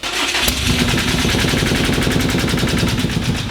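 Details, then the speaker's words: 800 HP Subaru WRX STI built boxer engine after breakdown, cranking with clutch and throttle floored after blowing out cylinder: steady fast starter chugging with near-catch but no start; crank no-start, suspected full of fuel. "oh that's the closest it's gotten yet that means it's full of fuel"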